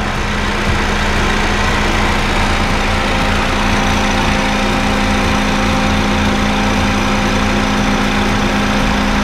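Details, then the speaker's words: Honda Fit GD3 petrol engine idling with the A/C on and cooling fan running: quiet and steady, engine sound normal; the compressor later develops a slight rumble, suspected from compressor wear. "まあ、クーラーかけてるのでファンも回ってます。まあ、至って静かです。"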